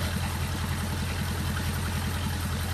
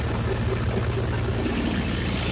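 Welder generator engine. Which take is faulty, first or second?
second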